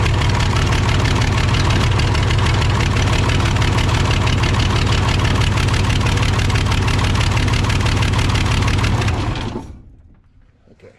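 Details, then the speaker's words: Case 855D loader 12-valve 5.9L Cummins diesel with misfire, power loss and overheating, injector lines cracked one at a time: lumpy idle pulsing about three times a second that drops when this cylinder is cut; this cylinder is good. "clearly that one is good too had a slight loss of performance on that one as well"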